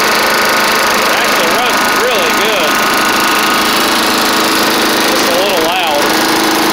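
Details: Classic Snapper Hi-Vac self-propelled push mower with Tecumseh engine, before carburetor swap and cylinder head cleaning: steady, loud, even drone, no misfire or surging, a slight knock audible, no smoke; runs well.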